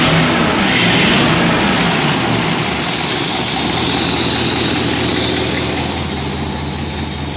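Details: Ford with 4-barrel carburetor, after sanding a sticky slide-linkage spot that made the 4-barrel stick open, hood open: revs up cleanly and drops back smoothly with no hang; throttle returns normally, fix not yet road-tested.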